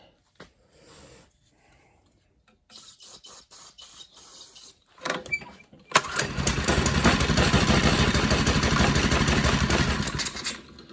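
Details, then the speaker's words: Mini bike salvaged from a junk pile, first start attempt, carburetor not yet cleaned: after several pulls the small engine catches and runs steadily about four seconds before cutting out. It starts and runs. "oh heck yeah she sounds good get that carburetor cleaned and she had to run good"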